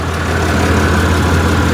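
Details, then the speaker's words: Four-year-old pickup with 110,647 miles, heavy work box fitted, lifters previously replaced under warranty and needing replacement again: deep steady idle rumble with a faint lifter tick, louder on one side. "Yeah, it's got a little a little lifter tick. You can kind of hear it back here because um you can hear it ticking at idle."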